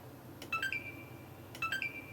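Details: Xbox One S on the bench with the APU heatsink pressure removed: a short rising two-note beep, silence, then the same beep a second later, no light; still powers on and immediately shuts off, bad APU suspected.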